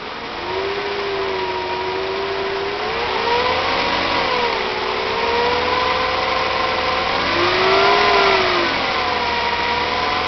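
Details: 2000 Mercedes ML320 backpressure test: the engine revs with a rough, strained exhaust note, misfiring (P0300, P0304–P0306) and cutting out driver's-side cylinders. A major restriction in the driver's-side catalytic converter is confirmed.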